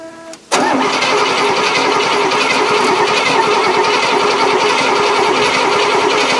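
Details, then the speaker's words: 1970 Cadillac off the road since 1999, after cap and rotor refitted and lots of gas poured and pumped: engine catches briefly, runs rough and uneven, then dies; owner suggests starting fluid or more gas, cause unconfirmed. "well it started for a second now we're dead again what do you think that is it smells like a lot i did pour a lot of gas and i pumped it a lot"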